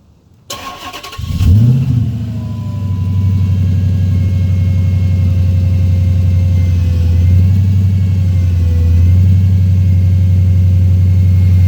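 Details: 2006 Dodge Magnum SRT8 V8 cranks and settles to a deep idle with a thin, steady whine riding above the rumble, heard from the engine bay.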